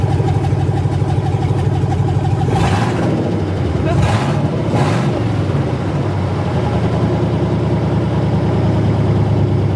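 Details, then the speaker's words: 1980 Chevrolet C20 with swapped 4.8L LS V8, first start after finishing swap: loud, raw V8 idle rumble with sharp throttle blips climbing and dropping cleanly; fired up normally. "well guys that felt pretty good it fired up just like it was supposed to"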